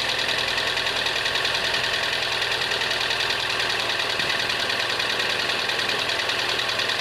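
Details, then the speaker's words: ZX idling after a booster-pack start, with a steady, even knock of about three beats a second under a bright clatter; owner suspects a bottom-end knock. "It will start, but this has got a bottom end knocking noise, and if I can prop you up somewhere, I will start it up and show you what it sounds like."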